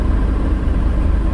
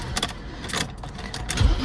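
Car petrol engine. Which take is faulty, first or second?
second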